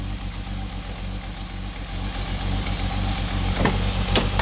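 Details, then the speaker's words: Holden VS Commodore ute V6 idling with an uneven, stumbling beat, missing at idle and worse in gear, exhaust stinking of unburnt fuel; injectors swapped without a fix, cause found to be a badly worn camshaft. "it's not. You can hear it's missing."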